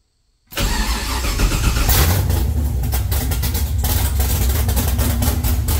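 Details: 1969 Camaro with swapped LS3 V8, Holley ECU speed-density startup tune, open headers: fires straight into a loud, choppy, lopey big-cam idle that holds steady on its own, sounding like a pro stock car; normal idle.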